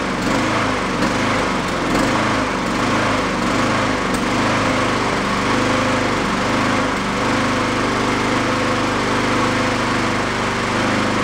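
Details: Used Honda mower engine after fitting a slightly larger jet: speed swells and sags about every second in a steady hunting rhythm. The larger jet barely helps, as the carburettor idle circuit stays clogged. On partial choke it runs decently enough to cut grass.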